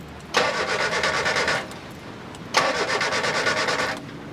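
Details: Car engine cranking in two steady rhythmic starter bursts, each about 1.2 seconds, never catching; after a flat battery or loose terminals are sorted, it turns but won't start, so ignition leads, distributor and coil are checked.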